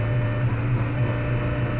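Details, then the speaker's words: 2003 Jetta on stands, wheels free-spinning, ABS light on: steady droning hum at 3800-4000 rpm in second and third gear; vibration vanishes instantly with clutch pressed even holding rpm; driveline vibration, source not yet pinned down. "all right let's go to second gear nothing there it is yeah definitely feel it let's go to third yeah definitely there and if I push the clutch pedal in it goes away immediately even if I hold the RPM"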